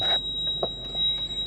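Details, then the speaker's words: Toyota Crown Majesta 170 series, 1UZ-FE V8, with an ABS fault. Continuous high-pitched electronic buzzer in a quiet cabin, with ABS, fuel, seatbelt, brake, VSC and TRAC OFF lights on. Warning buzzer. "can you hear the buzzing noise beeping look we got we got ABS light fuel light"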